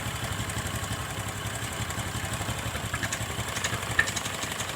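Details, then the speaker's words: Single-cylinder motorcycle after idle-air screw adjustment: quiet, steady putter that settles back to an even idle after revving, with no stumbling or hunting; idle now set right; normal idle. "oke ini sudah pas langsamnya dapat kita geber gas seperti ini oke teman-teman"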